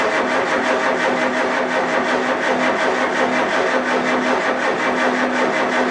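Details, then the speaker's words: Farmall A tractor, newly installed engine, cold start: turns over and tries to catch in an uneven, surging rhythm that never settles. Hard starting; owner suspects a carburetor problem, not confirmed. "I do believe we had a carburetor issue give her a little bit of start food make me a freaking liar"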